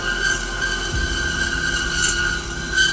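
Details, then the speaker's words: DoALL Continental Series band saw cutting 1018 steel at about 186 ft/min band speed, feed rate 2.5, feed force 1.5: steady high-pitched squeal from band vibration, gone after lowering band speed to about 150 ft/min. "You hear that squeal in the machine. I'm going to try to make that squeal go away."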